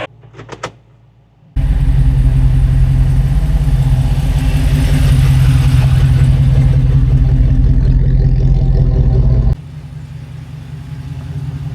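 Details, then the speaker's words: Jeep Wrangler JK with a newly installed AMW 505 392 Hemi V8, replacing the 3.6 L Pentastar after 200,000 miles, pulling away gently at low speed on its first test drive: deep, even rumble, steady firing, no knocks or ticks; normal running. "It's time to fire it up. [laughter] Oh, that is unmistakably not a 3.6 L Pentastar."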